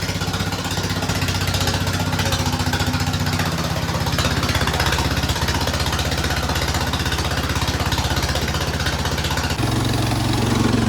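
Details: Cub Cadet 1250 hydrostatic garden tractor, revived after seven years parked, running with a rough, raspy, loud drone and fast pulsing exhaust note; exhaust/muffler is worn out, making it very loud.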